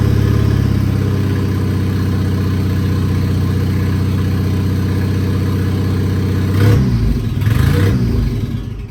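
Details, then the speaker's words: 1959 Mercedes body on an '87 Thunderbird Turbo Coupe chassis, first start in decades. Rough, lumpy idle with uneven pulses that stumble and pop on revs: misfire from plug leads in the wrong firing order. "It doesn't run the greatest, but it runs. This is technically the first time that this 1959 Mercedes has run in 30 years."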